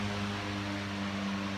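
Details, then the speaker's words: Restored 1902 GE pancake antique desk fan with an early AC electric motor, cleaned of heavy corrosion and oiled, running on high of its 5 speeds; steady low hum and even whoosh of air, no ticks or rubbing, running smoothly. "You can actually hear the differences between the different speeds. Some of the older fans, the different speeds were almost the same."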